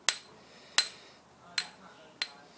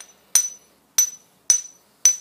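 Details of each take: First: Ring test on an old grinding wheel, about 50–60 years old, for tool-post grinding: six sharp taps die away almost instantly with a dull thud and no proper ring; the wheel is judged dubious and not to be used. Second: you hear that ring now if it doesn't do that it's not recommended that you use the wheel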